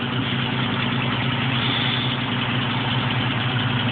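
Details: 1973 International 1310 one-ton truck, 392ci V8 with 34,438 original miles, warm after driving all morning; smooth even idle with steady low rumble, no misfires or knocks; healthy.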